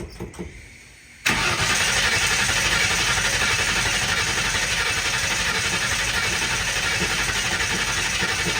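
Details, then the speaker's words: 1960 Ford F100 shop truck with open header, first start attempt in years after ten minutes of cranking on a temporary fuel setup: steady cranking at about four turns a second, never fires; no fuel reaching the carb, fuel starvation. "I'm expecting it to fire off pretty soon since I've been cranking it for the last 10 minutes."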